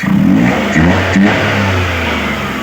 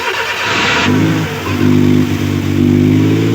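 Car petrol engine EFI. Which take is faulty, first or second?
second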